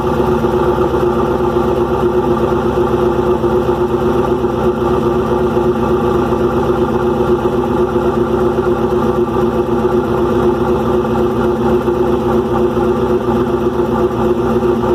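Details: Restart of freshly rebuilt engine "Promise": loud, busy idle with rapid, uneven clatter of about four ticks a second, plus a loud exhaust. Valve train is too noisy. Owner suspects unmeasured, too-long pushrods and is ordering new ones.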